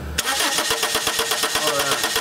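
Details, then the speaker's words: 1995 Subaru Legacy 2.2, no spark no start: steady starter cranking about eight to nine compression beats a second, never firing; PCM control signals to igniter present, so faulty igniter, fix is replacing it. "good so you see the pulse on both control signals so what that means uh the computer's receiving cam crank inputs what it needs it's sending the igniter the signal it needs to be turning these coils on and it's not so again what we have is a bad igniter"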